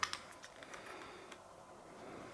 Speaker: there you go you can hear it because it's a positive click when it Springs down